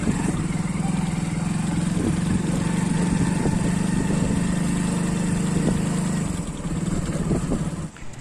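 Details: Hero Splendor Plus BS6, already seen at an agency, still noisy: steady low engine drone with scattered sharp ticks on top, source unclear; abnormal engine noise.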